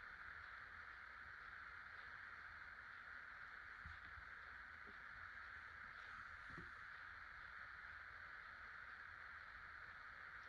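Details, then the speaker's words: 50" Casablanca Delta II ceiling fan, 1996, Emerson K55 motor, after bearing replacement, running on low with five blades; quiet steady whir, even tone, no ticking or scraping, healthy motor and bearings. "I'll go ahead and turn it on low. I'll then be showing it on medium and high."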